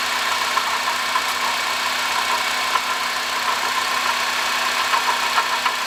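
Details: 2005 Honda Odyssey, 268,167 km, idling: steady gritty whirr with faint uneven ticking from a worn water pump bearing; replacing water pump, thermostat, thermo switch and coolant cured the noise.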